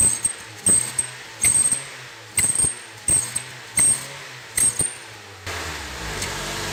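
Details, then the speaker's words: Honda New Civic with an aftermarket sport exhaust tip: a thin high whistle on each throttle blip that fades as revs drop; it still whistled with the tip removed, so the original muffler with a flap valve is suspected. "acho que essa ponteira tá causando alguma alguma turbulência na no ar e tá fazendo esse barulho"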